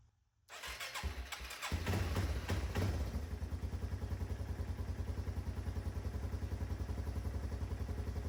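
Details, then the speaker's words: 1995 Yamaha Timberwolf 250 ATV after work on a destroyed carburetor, previously lacking power; catches after a couple of seconds, then an even single-cylinder idle around three and a half beats a second, carb not leaking, healthy. "Seems to be idling well. Carb's not leaking."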